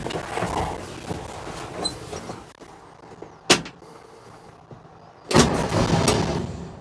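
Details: 1964 Chevrolet C10 pickup after 23 years sitting, fed fuel directly into carburetor bowl with choke cable disconnected and set manually; uneven cranking with clunks, then fires into a rough, unsteady run that won't idle.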